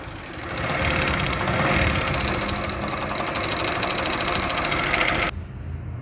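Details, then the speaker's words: Honda CD 70 type single (described as a Chinese bike) idling before repair: a harsh metallic clatter that does not ease off. The cause is a worn, slack timing chain and sprockets, which are being replaced with a new set. "ये दोस्तों जो ख़तरनाक आवाज़ motor bike की मैंने सुनाई है ये टाइमिंग चैन और गोटेस की फारिग थी, इनकी आवाज़ थी।"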